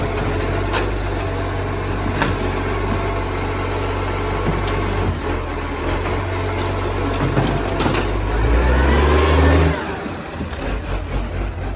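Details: Moreland garbage truck #FN11487, a spare 22m flat-faced Acco-cab diesel with a massive exhaust leak, heard from the exhaust side: loud, raw roar with a rough pulse of about four per second, swelling under throttle.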